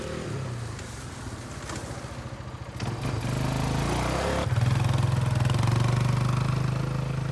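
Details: Kawasaki Bayou 220 barn-find ATV on test drive after carburetor cleaning, new battery, oil and air filters, straightened racks, rear right wheel bearing, seal and drum brakes: single-cylinder thumping steadily, pitch rising evenly with throttle, no knocking or stumbling; running really good.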